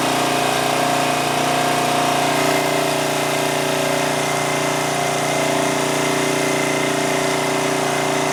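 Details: 2002 Coleman Powermate 5500 generator after backing off the adjustment to target about 115 V: steady, even drone with a constant tone and no hunting, misses or knocks; the engine holds speed and runs smoothly.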